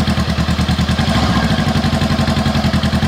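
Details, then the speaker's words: 2017 Honda CBR500R, stolen-recovered salvage bike, first start with unknown fuel and battery state: steady, even twin-cylinder idle with a regular low pulse, no knocks or misses; normal idle. "okay when it turns over that's a good sign we do have it started so awesome"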